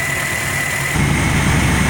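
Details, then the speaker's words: Truck idling after oil additives (Liqui Moly moly additive among them): steady, smooth idle with no ticking; formerly loud valvetrain tap from the top end now quieted. "all right this motor too had a pretty audible teff coming from the top in but when I use these additives and help quiet up the motor quite a bit"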